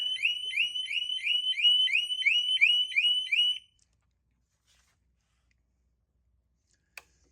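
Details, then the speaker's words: Harley-Davidson motorcycle with its negative battery post disconnected for a battery replacement; the security alarm sounds shrill rising chirps about three per second, stopping only when the battery is reconnected. "Yeah, so I disconnected that negative post. And when I did, let's see here. There it sounds like that."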